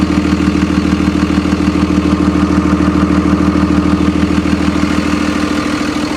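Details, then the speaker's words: 2001 Freightliner MT45 ex-FedEx step van, 24-valve Cummins turbo diesel with Allison, bought listed non-running: steady even clatter at idle with no knocks or misses; sounds solid and healthy, no leaks found so far. "That sounds like a solid Cummins, baby. Listen how good that thing purrs."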